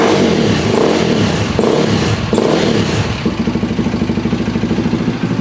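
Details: KTM 525 (Outlaw) after fuel line clamps redone, no-run issue fixed, fuel tap on reserve: single blips up and down cleanly, then settles into a steady quick thumping idle at about ninety beats a minute; runs normally.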